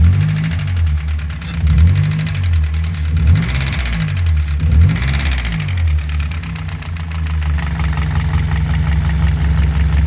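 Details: Car engine revved several times, then idling with a steady, rapid knocking running through it.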